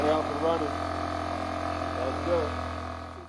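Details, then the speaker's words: Generac iX800 inverter generator after replacing bad fuel and cleaning the dirty carburetor, primed and started with one pull: steady low hum, constant pitch, no surging or misfires; running smoothly (overload fault shown separately). "so the generator had a combination of issues which were a bad fuel and a dirty carburetor once we replaced the fuel and cleaned that carburetor the generator was able to start every time with one pull"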